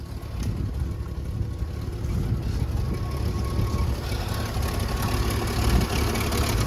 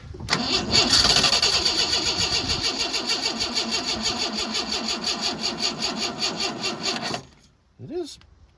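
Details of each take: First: 1986 Ford F150 old farm truck, first run after sitting, carburetor being primed and fuel pump replaced: low steady rumble holding an even idle for several seconds with no stumbling or dying; normal smooth idle. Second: 1986 Ford F-150 farm truck, long unused, being revived: starter churns steadily but sluggishly, about three turns a second, and never catches; old, tired battery after a trickle charge and lots of cranking, slow cranking from weak battery.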